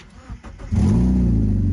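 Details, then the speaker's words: Mazda MX-5 Miata Mk2 after replacing the flat, faulty battery (new battery reads a healthy 12 V, alternator 14.9 V running): a brief weak turnover, then it catches first time into a smooth, steady low idle; a normal start. "first time yeah i'm happy with that"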